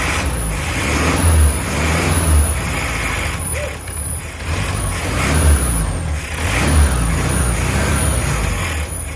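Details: 1967 VW Beetle flat-four, long sat with varnish-filled carburetor, after cleaning points and resetting gap and refitting carb and fuel pump: steady low lumpy rumble, firing evenly and holding speed; normal running.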